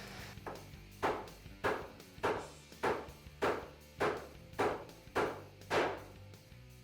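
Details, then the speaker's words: Polaris UTV wheel bearing being driven in with a bearing driver; steady hammer blows just under two a second, ring sharpening in the last strikes as pitch changes when the bearing bottoms out and exposes the circlip groove; bearing fully seated. "so you could hear that was pretty obvious the change in tone so i'm going to remove this make sure it's perfectly even all the way around which it is and our groove is exposed"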